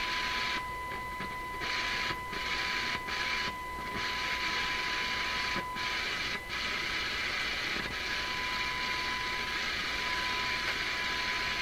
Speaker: That ground wire seems to be intermittent.